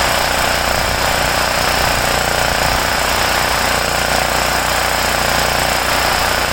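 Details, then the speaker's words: Homelite generator, 389cc Honda engine, after repairing no-start from poor fuel flow and dirty carburetor (ripped carb base gasket not replaced); loud buzzy single-cylinder drone at steady speed, rapid even beat, hissy exhaust, no surging: running properly. "I forgot to change it, but whatever. It runs. It's good enough for what I need it for."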